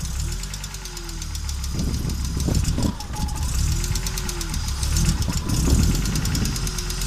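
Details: Audi Coupe after swap from NG to AAR engine, hard starting: low idle lurching and thumping irregularly, many misfires, engine dies when driving; rough idle, cause unknown.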